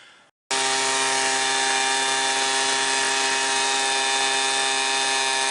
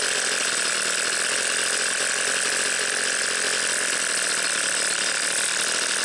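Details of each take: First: Homelite 26B Mighty Lite two-stroke blower with a new carburetor: a high, steady buzzing scream held flat at wide open throttle with no surging. It runs clean and strong. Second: Garage-sale two-stroke leaf blower after compression and spark tests: steady high-pitched buzz holding constant speed with no misses; runs well but sounds slightly lean, carb adjustment planned.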